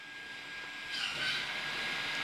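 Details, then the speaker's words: Toyota/Lexus electronic parking brake after rear brake service, key on, brake pedal held, parking brake switch pulled and held: a thin steady tone, then a rising whirring hiss as the rear actuator motor runs normally until it stops. "Just pull and hold it like this until you hear the motor whine. It's like you hear it right now. Wait for it to stop."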